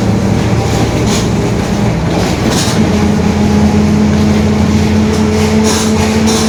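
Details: 2021 Marcopolo Torino S bus on Mercedes-Benz OF-1721 BlueTec 5 chassis, onboard while driving: steady droning hum under ride noise, tracking road speed; growling rear differential.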